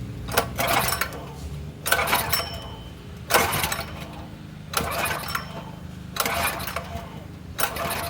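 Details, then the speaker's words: Predator 212 small engine, choke on, no exhaust fitted, borrowed fuel: six recoil pulls about 1.4 seconds apart spin it briefly but it never fires; fuel not reaching carburetor, bowl still dry. "We are gonna have to get fuel up to it though. If we don't get fuel to it, then it doesn't matter. Bowl's still pretty dry."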